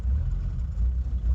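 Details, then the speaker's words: Old indirect-injection diesel truck with mechanical pump running straight sunflower oil, idling untouched after glow plugs stop cycling: low uneven stumbling pulse with dips in beat; misfiring on vegetable oil. "as you can see it's not very happy that's nothing to do with me my foot's nowhere near the pedal"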